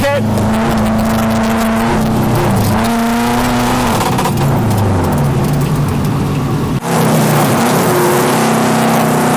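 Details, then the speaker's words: Subaru WRX-based drift car on its first day with new 750cc ASNU injectors, TGV deletes, a new oil pump and a new map, fuel at 3/4 on a wet track: revs hard, then falls away and stumbles under load while sliding, an intermittent fuel cut of unknown cause. "now fuel level was down a bit 3/4 and there was an awful lot of water on the track but we got this really weird fuel cut listen to this"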